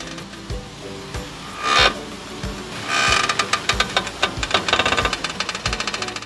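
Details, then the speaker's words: BMW X5: quick sharp clicks and creaks from the front wheel hub area when turning the steering wheel at standstill, loud even outside the car; clicking noise from wheel area when steering at standstill. "来，第一个异响，原地打方向盘轮毂会有异响，你们听一下"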